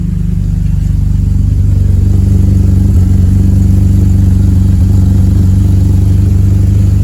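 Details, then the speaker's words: BMW E46 Compact, first start after fitting a homemade exhaust with Mishimoto V-band clamps: deep even exhaust drone with steady low pulsing, no rattles or misses, louder than hoped, oil burning off the exhaust; normal running. "It's not too loud. I was hoping that would be quieter, but let's see."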